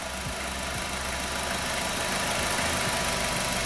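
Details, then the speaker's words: 2013 Nissan Qashqai 1.6 front-drive with JF015 CVT at 90,000 km, after repair, cycling through park, reverse, neutral and drive: even idle with only the usual hum, and the original whine or grinding is gone. "звук звука постороннего нет"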